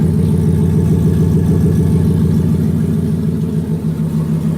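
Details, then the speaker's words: 2018 Ford Mustang GT with new turbo kit on E85, air-fuel ratio reading good and not lean: steady even idle with a smooth low pulse, no ticking or tapping; normal idle. "Yeah, it idles good. Air fuel is good."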